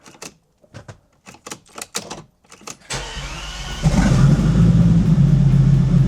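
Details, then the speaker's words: Bentley Continental GT unused since 2017, after a new part fitted: slow, uneven starter churning with pauses, then suddenly fires and settles into a louder steady run; still won't run at low revs. "I'm not joking. Seriously, it wasn't starting. I don't know what's happened."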